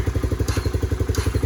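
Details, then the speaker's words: 250 SX three-wheeler two-stroke, electric-started once wiggling a loose fuse restored power: crisp, even thump at about nine beats a second, no misses or rattles; runs like a charm, idles cleanly. "If you can hear that, it is working. So I'm gonna see if I can't. Yes, sir. There she is. Runs like a charm, idles like nothing."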